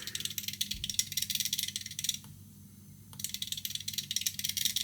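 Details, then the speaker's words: Air-conditioner expansion valve on a test PCB driven slowly at 50 Hz (minimum 20), frequency then raised toward 150 Hz: rapid fine ticking about two per second in clusters with a brief pause; pulses intensify with frequency; stepping normally. "Man mano che aumento la frequenza andrà sempre più veloce fino a 150 Hz. Sentite il battente che aumentando la frequenza aumenta l'intensità degli impulsi."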